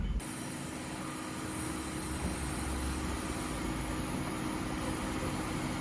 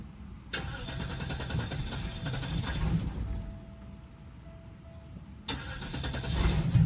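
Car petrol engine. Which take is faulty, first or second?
second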